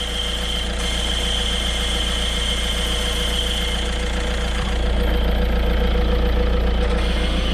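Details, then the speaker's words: Peugeot/Citroën Berlingo 1.6 HDi before clutch replacement, at idle: steady high whistle over diesel clatter, louder when the clutch pedal is pressed; worn clutch release bearing. "D'habitude, c'est quand tu bray que tu entends plus la butée, mais là, c'est quand tu appuies. Tu l'entends ? Ah là là, ça cri famine."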